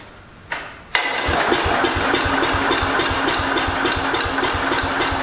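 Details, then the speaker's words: 1968 Cub Cadet 122 with 12 hp Kohler engine that won't start on its own; spark confirmed good, fires and runs evenly only on a spray of starting fluid. Owner suspects fuel starvation or a carburetor problem. "there we go so it's either carb related or it's not getting enough fuel I really think it's just not getting enough"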